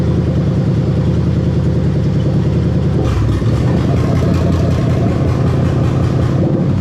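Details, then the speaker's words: GS430 3UZ-FE V8 on a half-cut with a plug-and-play harness for an IS200 swap, idling during VVT-i solenoid tests bank by bank: smooth, even idle turns lumpy and uneven when a solenoid is commanded. Solenoid responding. "so now we're gonna test those dbti solar noise and you're gonna hear the engine make a really weird noise when i test it"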